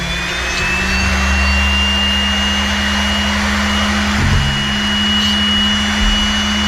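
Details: Older used SRD drill sharpener grinding a non-split-point drill: steady motor hum with thin high whistle and light scratchy hiss as the wheel bites the point; sharpener cutting normally.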